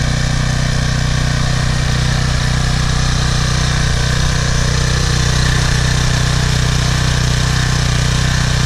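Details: PowerFlow+ pressure washer, Briggs & Stratton 190cc, after carburetor cleaning of clogged jet and dried gas from over a year sitting: deep steady thrum, no surging or misses, holds speed evenly; runs cleanly.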